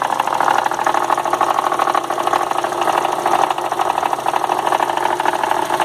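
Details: 2002 VW Golf 2.0 idling, noise began after 1300 km of a long trip: uneven light tapping about twice a second, coming and going, stops when the AC is switched on; intermittent engine knock, cause unknown.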